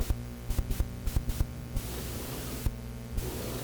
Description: Does this sound extra noisy to you?